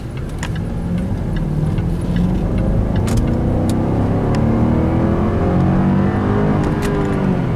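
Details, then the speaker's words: 2012 Jaguar XF V8 at about 15,000 miles, sport mode, floored to 60 mph without downshifting: deep, strong roar climbing steadily with no knocks or misses; healthy engine pulling hard. "And there's 60 right there. And I caught it when it wouldn't downshift. Had it downshifted, it really would have rocketed forward."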